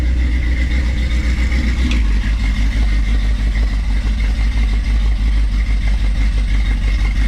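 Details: 440 Challenger after sitting 15 years, first run after reassembly: deep, steady V8 idle with an even rhythmic lope from the camshaft, no knocks or misses; healthy running engine.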